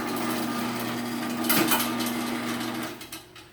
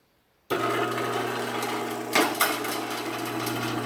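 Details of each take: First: Sears chain-drive garage door opener running after a new sprocket was installed: a steady motor hum with a rattly buzzing overtone, as a damaged section of chain rubs and the trolley vibrates, while the opener itself is much quieter. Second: Sears chain-drive garage door opener after a new sprocket install, door running down: even motor hum, steady low tone, only a couple of light knocks; opener itself much quieter, running normally.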